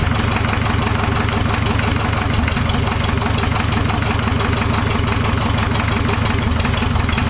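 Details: Old Land Rover 2.25 diesel with three main bearings, started for the first time in a decade: steady, dense diesel clatter at idle without misses or heavy knocks; normal diesel idle.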